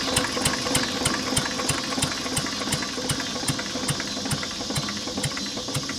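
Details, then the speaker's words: Lister throttle-fed single-flywheel stationary engine, believed made 1920s–30s, idling low: sharp regular knocks about three times a second over the slow idle, from a worn rod bearing. The block is also cracked, letting water into the oil. "d now good all right guys well that's the end of today's uh Moto Monday that was our liser I mean besides the rod knock and in need a paint it actually is a good running motor"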